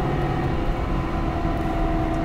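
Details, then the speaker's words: Dodge truck rear differential while driving: steady mid-pitched whine over road rumble; a bearing suspected down, possibly ring and pinion damage; TSB notes it occurs only once warm above 55 mph. "oblems I would say he's got a bearing down and he'll be lucky if he don't have a ringing pinion"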